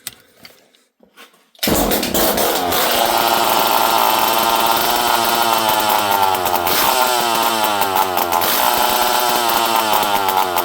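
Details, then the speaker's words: Poulan 5200 Countervibe chainsaw, unrun for 5-6 years, before carb screw adjustment: after a quiet pull it catches within two seconds and settles into a steady high buzz with slight surges; the saw runs. "Okay, friends, well, we know this thing will run."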